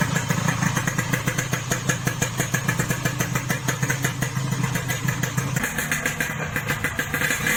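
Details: Yamaha RX King two-stroke after reboring, which cured excessive piston clearance and the previous harsh rattle: even, crisp popping idle with a steady rhythm and no rattling; smoother, normal idle.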